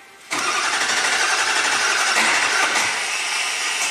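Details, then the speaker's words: 2003 Ford F450 wrecker, 6.0L Powerstroke diesel V8, 56k miles, cranked manually with straight 12 volts: high gritty grinding whir as the starter disengages and spins free without turning the engine; starter itself faulty. "No, the starter is still disengaged even with manual crank. So, something's wrong with the starter itself because this is straight up 12 volts."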